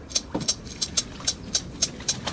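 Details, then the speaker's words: 1968 Volkswagen Type-3 Fastback speedometer, disassembled after it seized and snapped its cable: spun by hand, the mechanism gives a sharp, even dry tick about four times a second because its lubrication has dried out. "all right well let's get some Molly in there and I think we'll be okay yeah that's that awful sound that's exactly what it was"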